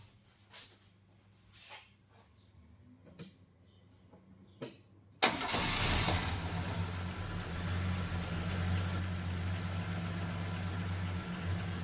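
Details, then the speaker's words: Holden LH SL/R Torana engine, timing set that morning, starting after engine repaint: a few quiet clicks, a quick crank and catch, then a steady, even idle with no stumble; normal start and idle. "Runs like a dream. Anyway, gotta be happy with that."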